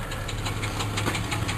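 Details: Car showing about 137,000 on the clock at idle: sharp regular ticking, several knocks a second, over a steady low idle hum from underneath. A loose torque converter is suggested but not confirmed.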